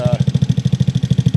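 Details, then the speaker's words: 2004 Yerf Dog GX150 go-kart single-cylinder engine running, now starting easily: even thumping about eight beats a second with a light tick each beat, valve tap from lash (being stepped from .005 toward .003); still breaks up at mid RPM. "Now you can hear her run. Like I said, she's got a little tap."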